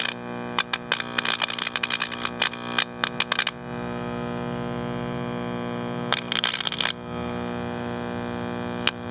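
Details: AirCastle model 5050 All American Five tube AM radio with a weak 35C5 tube: steady low mains buzz with stacked overtones under faint crackles and weak station sound, from a failed filter capacitor.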